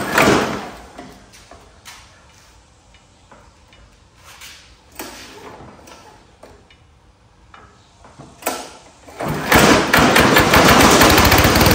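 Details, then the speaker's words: Power Smart mower, knocking badly when cranked: heavy, fast repeated banging after start; belt to be removed to isolate the noise, teardown finds a blown gearbox. "man that thing is banging like crazy what in the world man when this thing cranks up it's knocking its butt off"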